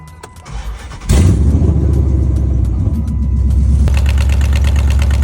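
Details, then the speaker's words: Chrysler 300C 5.7 Hemi with long tube headers, started after replacing the missing driver's side header bolts that caused a clunking exhaust noise: a deep, even rumble with no clunk or leak puffing, though old grease is burning off. "Wow. Now it sounds like an actual freaking muscle car and not some freaking dump truck."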